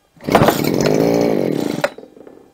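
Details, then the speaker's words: ALDI Gardenline BG-35011 hedge trimmer two-stroke, good spark and compression over 100 PSI: carb cleaner sprayed into the venturi, it catches, buzzes high about 1.5 s, then dies, confirming a carburetor fuel fault; carburetor to be replaced or rebuilt. "so it starts so that's it the problem is the carburetor so we're going to replace or rebuild the carburetor"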